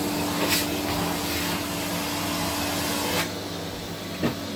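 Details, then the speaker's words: 1979 Electrolux Z96 cylinder vacuum, floor head on carpet: steady motor drone with faint fixed hum, pitch sagging as head grips carpet; labouring under load, owner suspects it needs suction control/air release. "I think this would benefit from having a suction control because it sounds when the when the floor head is on the carpet sounds like it's struggling a bit it's like it needs a release of air or something"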